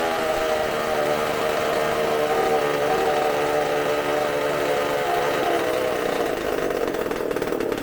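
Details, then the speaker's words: Supercharged McCulloch two-stroke chainsaw engine on bench, tank fuel: high buzzy note wavering unevenly, won't smooth out; running rich, burning black and sooty, keeps running with hand over intake because air pumps through ports. "It was burning black, like really sooty. I'm like, why isn't it dying?"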